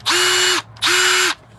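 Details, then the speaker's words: A new compact Matebo cordless drill compared with a Ryobi. Two half-second trigger pulls give a clean, even, high whine that spins up and down smoothly, sounding identical to the Ryobi. Normal running. "They sound exactly the same. Pretty sure those two are made in the same place."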